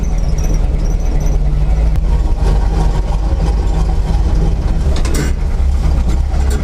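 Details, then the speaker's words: Chevrolet C10 truck, V8 just started after long sitting, cold: rough rumbling idle with a faint high squeal from a slipping squeaky belt; engine misfiring, owner suspects plug wires, coil or distributor, also blowing smoke, likely worn rings. "see I don't know if you can hear behind the squeaky Bell but it's misfiring it doesn't it just doesn't run right I don't like it so I'll have to look at that"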